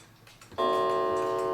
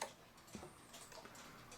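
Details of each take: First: New England Calendar Clock No. 2710, after adjusting a gong that had fallen too far: a single clean gong strike with a steady, evenly fading tone, not too loud. Moving the gong closer would make it louder. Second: New England Calendar Clock No. 2710, just wound before any adjustment or cleaning: faint light ticks with uneven spacing between beats, said to sound sick. The clock seems out of beat, suspected, not confirmed.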